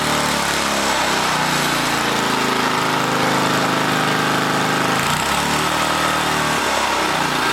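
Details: 1980 rototiller, small engine holding a steady, high, buzzy speed without hunting; overspeeding because the wrong governor spring is fitted, found after starter clutch adjustment.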